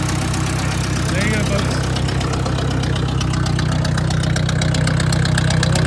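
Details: Ford 600 tractor after new ignition coil fitted in the field where it died (points on order): engine fires and holds a steady, even low beat around four per second with no misses; ignition working properly.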